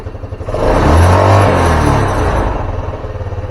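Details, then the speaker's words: Carbureted Honda Scoopy scooter that stalls when easing off throttle before turns: revs rise and fall to a lumpy, faltering idle; fuel comes out when vacuum line sucked, vacuum fuel tap suspected leaking, to be replaced. "sepertinya keran vakumnya bocor ya sedut dia bensinnya ikut keluar kita coba nanti ganti keran vakumnya ya"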